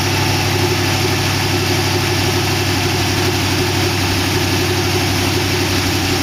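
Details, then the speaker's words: Oldsmobile 392 V8 with Hydro transmission in a rat rod roadster build, running without coolant: steady, even idle with smooth low rumble; lifters ticked at first start but calmed down, no ticking left. Normal idle. "looks like it's uh actually even idling but the lifters were ticking when i first started it uh they calm down i don't really want to run it much more than this don't have any water in it sounds good though"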